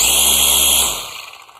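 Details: Black and Decker cordless trimmer about seven years old, running on a newly installed replacement battery: a high, strong motor whine for under a second, then a smooth spin-down with no rattle; the motor runs normally and the old battery was the weak point.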